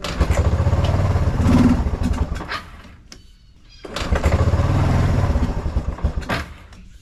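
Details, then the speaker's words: 1996 Kawasaki Bayou 300 4x4, single cylinder, sitting a year, started on starter fluid with full choke: catches and surges in bursts, dies away and picks up unevenly; sputtering like it is out of gas, fuel starvation. "it's acting like it's out of gas. What I'm gonna do is I'm gonna go get some gas and we'll top it off, see if we can get it going."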